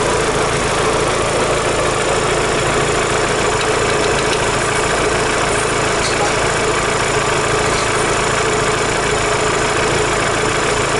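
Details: Daewoo Lanos 1.6 16V at idle after a head gasket replacement and head resurfacing: fast, uneven tapping that never settles; fine when cold, knock appeared after driving home; owner suspects the mechanic's work or a failed roller, not confirmed.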